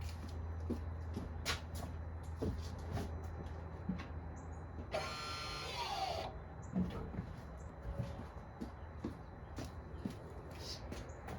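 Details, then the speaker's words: 2020 Honda Civic 1.5 turbo EX, 31,000 miles, electric parking brake applied after rear pad and rotor replacement: a single even motor whir of about a second stopping cleanly, no warning lights, wheel holds; normal engagement. "I'm not getting any weird lights on my board, and this is not moving at all."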